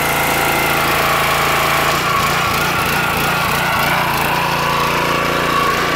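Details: Petrol pressure washer after internal repair of suspected unloader/dump valve fault (previously wouldn't release high pressure on trigger release): steady, even pitch, constant drone, no misses or knocks; normal running.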